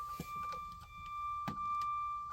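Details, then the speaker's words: 2005 Holiday Rambler by Monaco diesel pusher motorhome: a steady high-pitched dash warning tone with soft clicks, beeping because the key is on while the leveling jacks are operating. Leveling jack warning beep. "here oh I know what's beeping over here [Music] um I've got the uh leveling jacks up and it doesn't like it that I've got the key on and the leveling jacks going"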